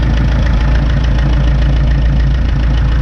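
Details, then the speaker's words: 1952 McCormick Super WD-6 tractor, warmed up on gasoline and about to be switched over to diesel; deep, steady low thump at even idle with no knocks or misses, a normal warm idle. "that Idol seems like it's about ready to I mean I guess it wouldn't hurt it to keep running it on gas but but it seems like it's about ready"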